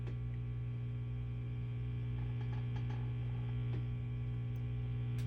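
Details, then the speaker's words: 5150 II tube guitar amp, clean channel idle, after preamp tube replacement: loud steady low hum with buzzy edge and faint crackles; environmental mains and RF noise entering early preamp stages, disappears with post/master down. "But we're looking at noise being introduced by the environment into the early stages of the amp."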